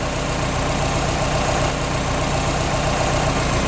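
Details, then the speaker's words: Subaru turbo engine just after an oil and filter change and a battery disconnect to reset the ECU: steady even idle with a soft low throb and a faint whistle, running better as the ECU relearns. Normal idle. "the engine sounds like it's running better so because I've disconnected the battery that ECU is going to relearn"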